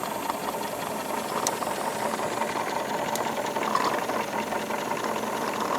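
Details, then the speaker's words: Wilesco D22 double-acting model steam engine at about 14 PSI boiler pressure, well within the safe range, with correct water level and a steady fire. Soft, even chuffing with a light steam hiss, no knocks: very smooth normal running. "it's very very nice operation"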